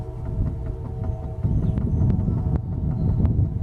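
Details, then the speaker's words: 1997 4WD Dodge Ram, raised front wheel rocked by hand both horizontally and vertically: sharp irregular clicks from play in a worn front wheel bearing (hub assembly to be replaced); horizontal-only play would point to tie rod end instead. "okay now if you just hear it this way well then you going to look at like your tie rod end or something like that make sure that's not what you're listening to but you'll notice if I do this vertically I got the same thing"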